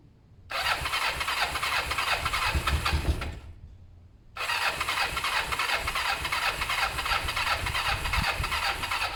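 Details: Kawasaki ER-5 twin during service: two long stretches of steady starter churning, about three turns a second, never catching; cranks but will not start. Owner thinks carbs have fuel and plans to check plugs.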